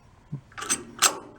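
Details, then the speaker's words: 1962 Homko snowblower engine, recoil pull starter spun by hand with rear cover open: three dry, scratchy ratcheting bursts; drag between the parts pushes the pull start out, needs light oil. "if there's any kind of drag between the two of them it tries to push the pull start out that was that noise that you're hearing"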